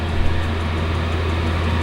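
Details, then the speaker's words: Chinese diesel air heater in a garage, warmed up to 70: steady loud low roar with a constant deep hum, no knocks or surging. "you can hear me background blowing away quite noisy um and I know once this is up to temperature it goes a lot quieter in fact a yeah it's 70 so I'll crank it"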